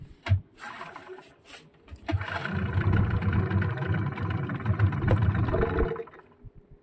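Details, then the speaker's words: Yamaha 15 hp two-stroke outboard: hard starting, runs rough and uneven at low rpm, dies when throttle turned or shifted into forward gear; caused by leaking reed valve and clogged carburetor. "ketika kita putar gas dia akan spontan dia akan mati begitubegitu terus"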